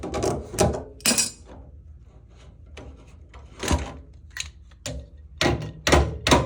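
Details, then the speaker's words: Bathroom towel radiator with thermostatic valve, quiet room: irregular heavy clunks, several in a few seconds, as the TRV shuts at temperature; suspected of triggering the boiler's F83 fault. "So as you can hear, when this bathroom towel rad thing shuts down, it's going to make that clunking noise."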